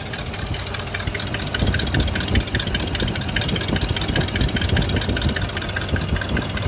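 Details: Sharp, regular ticking on the engine's left side that keeps pace with engine speed over a steady idle.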